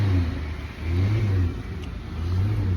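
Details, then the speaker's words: 2014 Dodge Caravan after transmission service with clogged filter replaced, previously whining when accelerating: revs rise and fall with clean low drone, no whine; transmission now quiet and normal. "It's not doing it right now at all. Um, it's quiet as a mouse. So, that was the problem."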